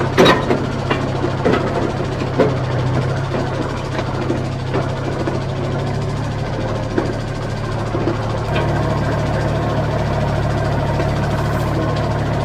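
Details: Old vibratory roller that broke down about 20 years ago, engine had been removed and partly dismantled, now running while rolled over lumpy gravel driveway: steady low diesel throb with clatter and gravel crunch; running properly again.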